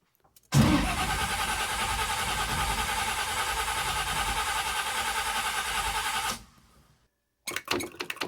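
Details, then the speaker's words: 1979 Camaro big block Chevy, long unused, after cleaning the starter solenoid contacts. Even cranking for about six seconds with no firing. The carburetor float bowl is bone dry with nothing from the accelerator pumps; the owner suspects the carburetor needs cleaning. "Nothing coming out of the accelerator pumps. Boy, it's probably sat long enough that I might have to take this carburetor apart and clean it now."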